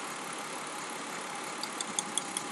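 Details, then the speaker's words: Car with P0304 cylinder four misfire code, coil pulled and arced to ground while running: crisp regular snapping ticks about five a second over a hissy engine; good strong spark, normal ignition. "right away you can hear it if I go to ground somewhere you can see it sparking"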